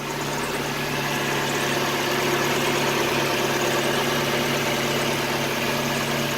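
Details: Mazda Miata (1.6 or 1.8L) after valve cover gasket replacement: smooth, steady idle with even low hum, no misses, knocks or ticks; no fresh leaks, running normally.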